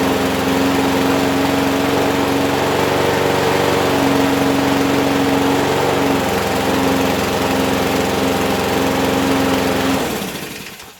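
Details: Abandoned Huskee XT650 mower that sat in a yard a year or two, restarted and watched for a while: holds a steady, even buzz for ten seconds, then switched off and winds down; runs smoothly.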